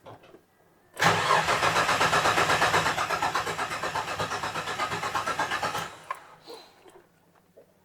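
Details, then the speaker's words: 1967 Ford Anglia 105E with Mitsubishi Galant/Legnum VR4 6A13TT engine, after running new crank sensor wire: about five seconds of steady cranking, roughly three turns a second, no firing; still no crank sensor signal. "new wire running let's see what happens we still do not have a crank sensor"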